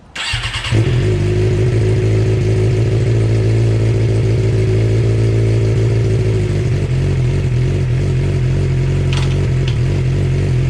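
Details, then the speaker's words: Suzuki GSX-R 600 with Power Commander 3 USB custom map, K&N filter, newly fitted Dynojet quick shifter, test start: catches at once into crisp even idle with brief throttle blip; healthy. "I need two hands for the Gsxr, so I'm gonna start it up and I'm gonna let you guys hear it."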